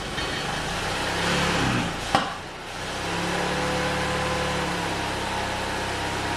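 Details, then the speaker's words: Saab 900 Classic, first start after years of sitting, with a rebuilt Zenith/Stromberg CD175 carburetor and a cleaned fuel tank: the engine catches, surges and stumbles, then settles to an uneven idle. It is smoky, and the owner suspects the timing. "well that was a bit of a smoky adventure i think something in the timing might be wrong i'm going to see if i can find something"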